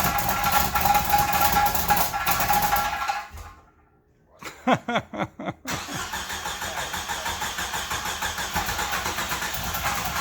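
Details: 1995 Jeep Wrangler YJ engine's first start in years after the bad fuel pump and rotten gasoline were replaced with a new pump and filter: a few cranking pulses, then it fires and holds a steady, even idle without missing, sounding healthy.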